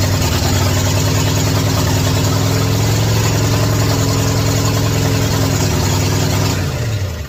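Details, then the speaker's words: 1967 Ford F100 truck running for the first time after electrical rewiring and ignition timing adjustments: even, steady idle with a firm low rumble, no knocks or misses; normal idle. "wow first time that's crazy finally got it all right y'all so that's super exciting finally for the first time hearing this truck run"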